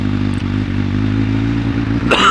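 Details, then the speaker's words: Suzuki Bandit 1200 project bike cold start on choke: engine chugs unevenly with dips in the beat and revs rising slightly, coughing and spluttering; running on three of four cylinders. "she's coughing and spluttering a little bit which isn't great but don't know if you can hear that through the microphone but it's definitely on three cylinders"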